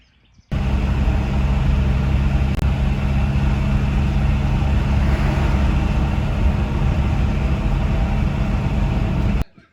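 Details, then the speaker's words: 1988 Volkswagen Type 3 Transporter Synchro at steady idle with a broken exhaust pipe: a loud, deep, uneven rumble with a raw, blatting edge, far louder than a sealed system. "The bus is drawing a lot of attention. It's because it has a broken exhaust pipe, and we can't really continue driving until we've fixed it."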